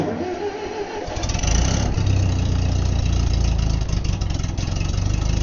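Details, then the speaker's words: Old Ditch Witch R65 trencher after sitting a month, bad gas topped with fresh fuel and stabilizer, choke held: brief uneven cranking, fires at about one second, settles into steady even chugging; healthy start. "Well, I'm very pleased with that. Fired right up."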